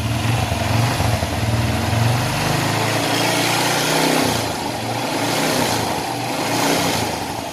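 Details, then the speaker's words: Honda Blade 110 small single-cylinder motorcycle after an engine rebuild (oil pump gear, cam chain, block and valve stem seals replaced), body not yet fitted, revved on gentle throttle blips: clean, even rise and fall with no knocking or rattle; engine sounds normal again. "oke teman-teman di sini untuk pada mesin motornya sudah dalam keadaan hidup untuk bunyi pada mesinnya itu sudah normal lagi"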